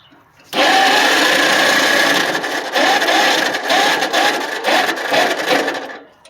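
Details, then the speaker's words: Tractor revived after sitting 4 years seized with a water-filled engine, gunk partly cleaned out: starter spins engine about five seconds with steady rhythmic pulse, no scraping or banging; starter slightly iffy but cranking normally. "starter seems a little iffy but it's working we're spinning sounds good don't hear any weird sounds"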